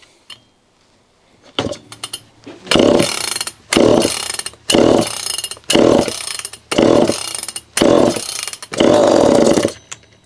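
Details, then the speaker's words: Homelite Super EZ chainsaw, boxed about two years after transit damage and non-starting, on its first test run after reassembly; assembly oil makes compression artificially high. Repeated pulls give coughing bursts about once a second, then it catches and runs a few seconds: normal start. "It's a good sign. It could stay running."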